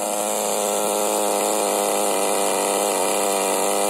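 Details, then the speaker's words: HPI Nitro MT RC truck with Nosram RS 18 Evo nitro engine during break-in and tuning, low-speed needle not yet adjusted: high, buzzy idle with a slightly uneven burble; rich idle, high-speed needle also still needs leaning. "still hear it burbling a bit i haven't touched a low speed needle yet definitely still needs a bit more off the high speed i think"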